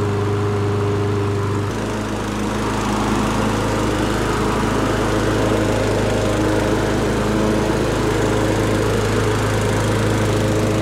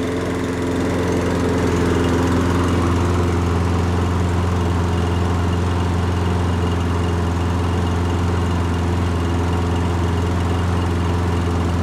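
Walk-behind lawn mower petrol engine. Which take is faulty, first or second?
second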